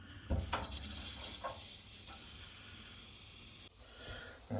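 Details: Bedroom radiator that was not warming up, bleed valve opened after the boiler was relit; a steady sharp hiss for about three seconds that cuts off abruptly as trapped air vents; heat then returns.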